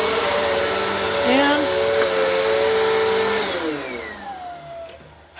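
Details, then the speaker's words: Bissell PowerForce Compact model 2112 vacuum, 5.5 months old, after repair: steady, even motor whir with no rattles or grinding, winding down smoothly, humming over it; sounds like brand new, normal running. "How Sweet the Sound Amazing Grace Good Golly Miss Molly how about that for a little baby vacuum 5 and 1 half months old little impressive what TLC can do let's hear that one more time sounds like brand new ladies and gentlemen there you have it"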